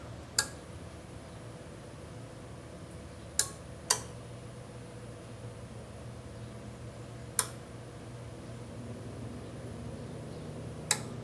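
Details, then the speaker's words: Samsung side-by-side refrigerator not cooling and thawing: after power-up, sharp single clicks every few seconds over a faint fan hum while the compressor never starts. Compressor fails to start with relay clicking; the cause is suspected, not confirmed. "And there it is. There's the click, and the compressor does not start."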